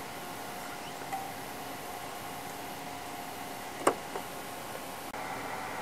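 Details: InFocus ScreenPlay SP7205 DLP projector after realigning the three misaligned lamp-fan contact tabs that had caused a flashing fan-failure light: soft, even fan hiss with a faint steady tone, no rattle, ticking or surging; lamp fan running normally, solid green run light.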